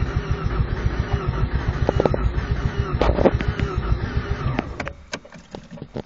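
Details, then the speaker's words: 1988 Mazda RX-7 GXL, sometimes won't start; when it does: uneven, lumpy running with sputters that fades and dies after about five seconds; won't idle, cause not found, owner suspects emissions control unit. "well it won't start from time to time but if it does start it won't idle"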